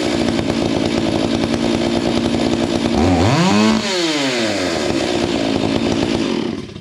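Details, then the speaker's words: Stihl MS 461 chainsaw after Westcoast Saws kit, Maxflow air filter and carb limiters removed: burbly high idle, then a lazy blip up and back down; running a bit rich after modification. "I haven't touched the Jets from where I set them it's a little bit Rich right now"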